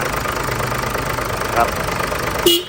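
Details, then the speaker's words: Ford Everest diesel after an engine rebuild from overheating (radiator cap left off), with a new radiator and plain water in the cooling system, idling: smooth, even, quiet idle with no knocks; healthy. "เครื่องยนต์ติดแล้วนะฮะก่อนที่จะออกวิ่งทดสอบทดลองนะครับเสียงเครื่องยนต์เงียบกริ๊บ"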